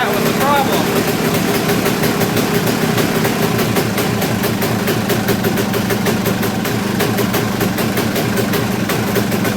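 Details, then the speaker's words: Kawasaki KX250 two-stroke, running again after reassembly; it started in four to five kicks without choke. Steady fast idle with a slightly blubbery, uneven note and no knocking. Carb tuning is needed; the owner guesses it is running rich. "I mean to me that doesn't sound quite right the way it's it's not really knocking or anything like that it just kind of it's hard to say"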